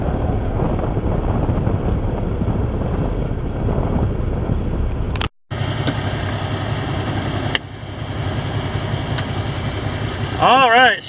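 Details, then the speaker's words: Truck "Ruby" with a bad starter, pull-started at a truck stop: deep steady diesel idle rumble holding after a brief dropout; engine idling normally but must not be shut off until starter is repaired. "is idling and now I could make sure she does not shut up at all okay now getting her started issue is taken care of"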